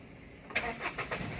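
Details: 2014 Maruti Celerio with check engine light on, running and idling with a lumpy, uneven beat; scan showed a cylinder 2 misfire, fixed by replacing the ignition coil.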